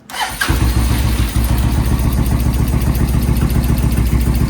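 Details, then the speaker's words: Suzuki VS1400 Intruder after carb work, on choke with fresh battery and primed fuel pump: catches then lopes unevenly on one cylinder; front cylinder warming, rear cylinder ice cold and dead. "Sounds like one. [Music] Which one is it? Front one's starting to feel a little warm. The back one feels ice cold."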